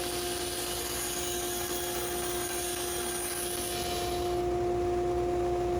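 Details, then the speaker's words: Aging band saw blade cutting a small piece: steady saw tones with a regular thump three or four times a second as the blade bangs, probably from a slight warp (suspected). "this blade is starting to get a little old you can hear it uh banging it's got a little bit of a probably a little bit of a warp in"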